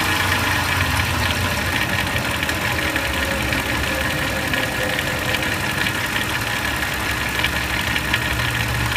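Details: 2004 Lincoln Navigator at idle: rough, uneven rattly ticking sits over the idle and doesn't settle; presented as timing chain noise.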